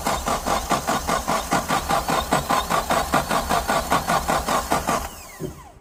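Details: Suzuki Samurai with a new 4–7 psi inline electric fuel pump: pump hums but moves no fuel; starter cranks evenly about two and a half pulses a second for five seconds without catching, a crank no-start from fuel starvation, fuel filter suspected plugged.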